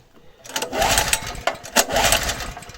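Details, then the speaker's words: Small engine after cylinder head machined (combustion chamber reduced) for gas running: uneven pull-start cranking that never catches; won't start on gas, owner unsure his work was right. Cause suspected, not confirmed. "[ __ ] він не заводиться на на газу цьом Не хоче чого не хоче хто зна"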